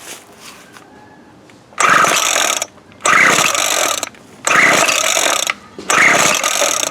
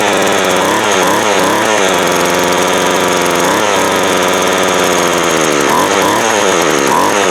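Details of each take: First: Craftsman 17-inch 24cc weed eater after replacing broken fuel lines, primer ball and tank cover: four rasping pull-cord strokes, each under a second, engine never catches; owner suspects no spark, plug found wet with fuel. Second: Craftsman 24cc 17-inch two-stroke weed eater, after clearing the wet-fouled cylinder; fuel lines and primer ball still to be replaced. Buzzy steady idle rising cleanly on throttle blips, no stumbling or misses; runs normally.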